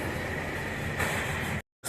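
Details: Nissan Terrano petrol engine with low pick-up and low mileage runs with an uneven, stumbling misfire. Two fuel injectors were found failed and replaced, and the spark plugs were checked.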